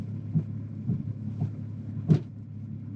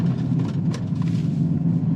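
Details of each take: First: Audi Q7 3.0 TDI at full-lock turns: low diesel rumble with irregular heavy thumps as the driveline binds and releases; transfer case failing, fluid burnt with metal shavings. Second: Audi Q7 3.0 TDI after transfer case replacement (old case bound on turns, burnt fluid, metal shavings), with DPF delete pipe and Stage 1 tune: coasting through corners, steady road rumble with no clunks, binding or skipping.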